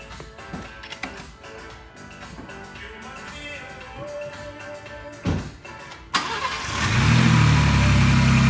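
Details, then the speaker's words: 2022 Ford Bronco Raptor after Whipple charge air cooler installation and reassembly: starter cranks briefly, engine catches and settles into steady even low rumble, no knocks or warnings; clean healthy start. "hey it runs so nothing's mad that we know of popping up"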